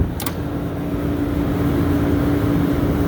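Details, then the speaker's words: Three-phase scroll compressor on a commercial cook-line refrigeration system, restarted on a new contactor after windings measured an even 1.6 ohms, gives a loud harsh steady buzzing drone as if running backwards, though rotation was not changed. "Oh interesting I had to figure this out it was making a weird noise like it was running backwards but I didn't reverse the rotation"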